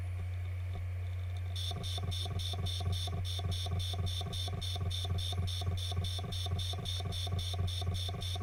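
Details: Western Digital Green 1TB WD10EADS from a MyBook external enclosure, about seven years powered on: steady tick three or four times a second over a low hum when powered, recorder beside it; drive failing, not detected by computer.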